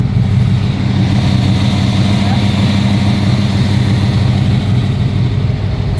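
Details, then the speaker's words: Restored Ford GT40 (Nardo Gray), abandoned 21 years, V8 idling high at about 1.5–2K rpm, not yet up to temperature; steady deep burble that never settles. "So you can hear she's idling a little high right now. She's idling at like 1.5, 2K."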